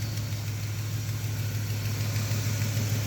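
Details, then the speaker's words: Cadillac Fleetwood idles low with an uneven lope and occasional soft bloop as a cylinder misses; rough misfiring idle, owner suspects failing OptiSpark distributor, later won't restart. "I don't understand what's going on with it. Every time when you hear that bloop bloop sound, that is a miss."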